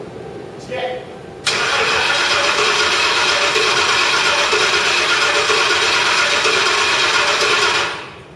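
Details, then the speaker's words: Crown Victoria after a full engine rebuild, cranked with the computer fuse pulled to circulate oil before the first start: steady, fast, even starter churn for about six seconds, engine spinning freely without firing. "we've got the uh the the computer fuse pulled so it won't actually start so you think or so we think yeah"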